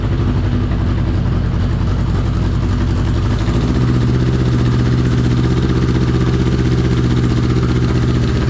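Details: 1983 Honda CB750 first start after sitting at least 10 years, running on an external fuel source with tank removed: burbles unevenly at first, then settles into a smooth, steady four-cylinder idle; normal idle.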